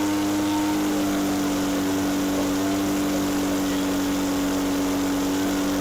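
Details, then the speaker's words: Echo PB413H backpack blower with aftermarket carburetor and NGK plug, high-speed screw turned in (leaner): steady high two-stroke wail at full throttle around 6400 rpm (recommended 6400–6600; idle 2600), slight burble; mixture about right. "okay by turning it in the high screw leaning the 2600 was good at idle it's 6400 to 6600 recommended high speed"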